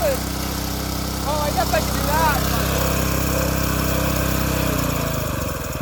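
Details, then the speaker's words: Previously seized tiller engine after repair, at idle: steady, even idle hum with a consistent beat, no smoke, then winds down and stops; engine runs healthy. "just doing it on idle for now it engines running great not even smoking whatsoever"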